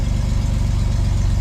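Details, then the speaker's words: Pontiac Fiero GT just after a distributor install, running with imperfect timing, gives a steady even low idle with no misses or knocks; runs better than it has in a long time. "that might run a little rough cuz the timing is not perfect we know that but surprisingly it's running better than it has in a long"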